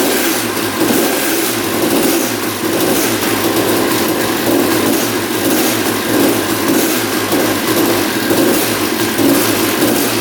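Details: 1989 Honda CR250 two-stroke that had been sitting, first start after carb cleaning: fast idle with a steady metallic rattle from down low; engine seen moving in frame, loose engine mounts suspected, cause unknown.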